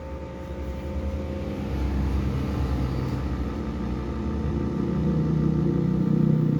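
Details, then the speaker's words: Suzuki APV AC blower motor running: low, rough growl with an uneven rumbling pulse, rising with the fan, worse at speeds 2, 3 and 4. "apabila kita Nyalakan blower atau AC itu suaranya seperti ini teman-teman kedengaran ya suaranya"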